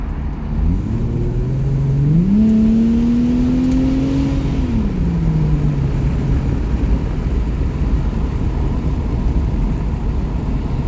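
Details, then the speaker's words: Jaguar XJS 5.3 V12 with 3-speed TH400 automatic, windows open, kickdown tested again under full throttle: engine note jumps sharply higher as the box drops a gear, holds, then eases back; kickdown works normally. "Thought I'd try the kick down again, just with the windows open so you can get a bit more noise."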